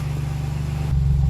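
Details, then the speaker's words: 2008 Jeep Liberty just after the muffler was replaced, mic under the vehicle at the exhaust. Deep, even low idle rumble with no rasp or blowing. The exhaust is quiet and sealed, back to normal. "Sounds like her old self again. I like it."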